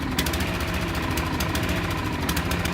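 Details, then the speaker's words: Hayter Harrier lawn mower first start of the new season: engine hunting, revs rising and falling unevenly and struggling; sediment from fuel tank in carburettor bowl suspected. "As you can see, this is my Hayter Harrier, and I've just fired it up for the new season, and it seems to be searching for its revs, hunting for its revs. You hear it struggling a little"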